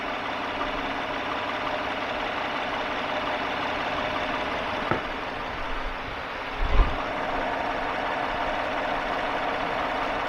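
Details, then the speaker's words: 2015 Chevy half-ton pickup V8 after repair of a worn valve lifter and camshaft behind a cylinder 2 misfire at idle; after idling a long while misfire counters stay at zero, smooth even beat. Normal idle. "so we've already left it idling here for quite a while and go through our misfire counters and still at zero the whole way through"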